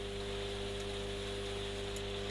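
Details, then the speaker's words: Telefunken Magnetophon 95 West German tape recorder after its original belt was reshaped by boiling and treated with rubber renew: steady mains hum and even mechanical whir, no slapping or rubbing; belt noise gone and speed corrected, normal running. "Also put a little bit of rubber renew on. It's not brilliant, but as you can hear, that noise is gone."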